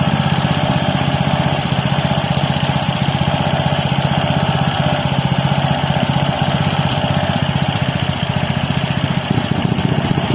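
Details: Robin Subaru EX21 7 HP 211 cc air-cooled four-stroke OHC single-cylinder horizontal-shaft engine, CDI ignition, not new: smooth, unbroken low thrum at fixed throttle, firing evenly with no rattles, still very smooth; normal, healthy running.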